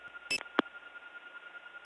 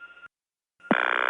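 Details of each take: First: Early-1979 Gainesville, GA step tandem mapping, Flowery Branch test code 105: switch clicks and beep bursts, then a clean steady tone and an answering tone; a 105 test working normally. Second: 1979 Gainesville GA step-by-step tandem, dialing 8-4-1. A brief tone, then a buzzy pulsing ring as the operator answers: the intercept ring tone from the Gainesville cord board, telling the operator it is an intercept call.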